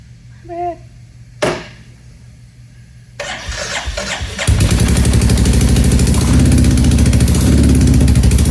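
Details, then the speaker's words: Royal Enfield Classic 350 Reborn, first startup after big bore kit install: single fires and settles into a quick, even puffing tick at idle; small exhaust leak found at the header. "So, in the startup, we realized we have a little bit of an exhaust leak at the header."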